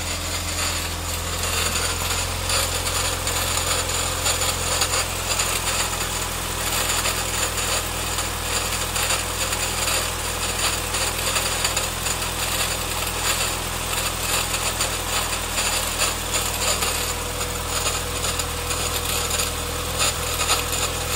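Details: Nissan CA18DE petrol engine running steadily with a fast, dry rattle over a low hum; newly bought, cause unknown.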